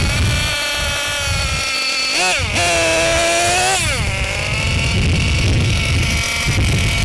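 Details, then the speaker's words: Losi LST XXL-2 gasoline monster truck engine buzzing at idle, briefly rising then settling lower as the bottom low-speed needle is richened during setup before break-in; richening drops idle speed. "So, as you can see, when I rich in the bottom needle, the eye will drop."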